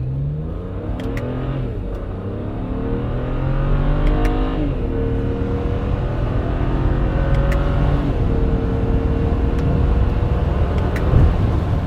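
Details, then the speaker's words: 2008 BMW E90 335i, N54 twin-turbo, automatic, after cooling system overhaul and new wastegate solenoids, full-throttle highway pull in 4th: strong, clean rise in pitch, crisp shifts, plenty of boost. Normal acceleration. "Driving good. Pulling That was a really nice pull. Clean, shifted good, strong power, building plenty of boost."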